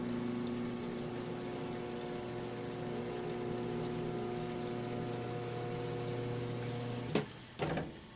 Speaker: the sump pump decided to come on